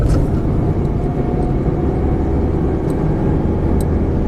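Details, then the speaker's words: Road test after repair of chassis noise over bumps: steady road rumble and tyre noise, no knocks or clunks; lower control arm bushing cracked and ball joint worn, control arm replaced, noise gone. "过我们的检查和维修路试，最后这个异响已经消失了。"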